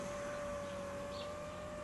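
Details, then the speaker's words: Porsche Boxster 986 Phase 2 power window, the healthy side (the passenger side is the noisy one): a quiet, steady mid-pitched motor hum with no pitch change as the glass travels up or down. This is a normal window motor sound. "For example, when you usually lift or lower the window, you should hear this:"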